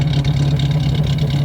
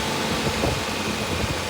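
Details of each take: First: Vehicle running, jacked up, heard at the tailpipe: steady low exhaust burble at idle, even pulses with no popping or ticking; sounds healthy. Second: 1988 Suzuki Samurai after priming the fuel line: runs roughly, then chokes out and dies; a broken rubber line to the fuel filter is leaking fuel, and replacing it should fix it.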